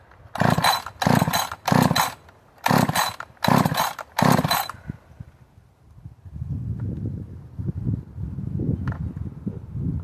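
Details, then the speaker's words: Husqvarna 562 chainsaw built from three carcasses, dressed cylinder and piston, ported lower transfers and exhaust, untouched timing, autotune not yet tuned: short revving bursts then ragged low idle nearly stalling — rough running, reluctant to idle. "Sounds like a pretty, it's almost borderline don't want to run because, yeah, let's see."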